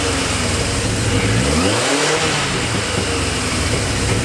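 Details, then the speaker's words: Yamaha XJ650 motorcycle running after battery recharge and terminal cleaning during basic engine service; steady running with one smooth rev blip dropping back cleanly, no knocks or misses, idle possibly needing adjustment and carbs to be checked later: normal running. "so there we have it guys I think we got really really lucky there the bike seems to be running quite alright to me that sounds very promising"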